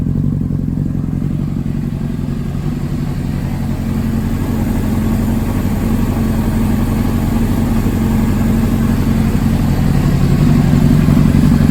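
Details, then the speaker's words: 2005 Honda CBR600RR four-cylinder, 4,299 miles, long-stored, spark plugs replaced after old gas, idling after cold start while warming toward 154°F: steady, even low burble, slight rise as it warms, no misses; normal idle. "now that the bike is running nice and healthy let's go ahead and give it a cold start and a few revs"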